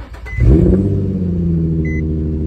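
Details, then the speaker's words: Nissan 350Z with JDM VQ engine swap, first start; catches quickly, flares, settles into smooth even low-rumble idle; some smoke, owner suspects WD40 sprayed on O2 sensors burning off, no leaks found: normal start and idle. "dog it sounds so good it'll probably keep smoking a little bit but I think it's fine"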